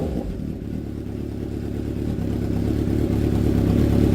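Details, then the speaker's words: Honda CB750 cafe racer first start after carb rebuild, new spark units: smooth, even four-cylinder burble building gently, no knocks, misses or stumbles; engine not yet warmed up, runs really sweet. "runs really sweet, isn't it?"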